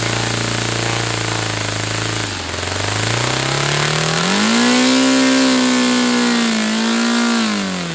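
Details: Saito FA-300T twin-cylinder glow engine on a customer run, with a sticky, hard-to-set throttle linkage. An even buzzing idle dips briefly, then climbs cleanly to a high, steady pitch. Running well: normal running.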